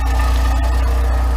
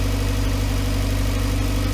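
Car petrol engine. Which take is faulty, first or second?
first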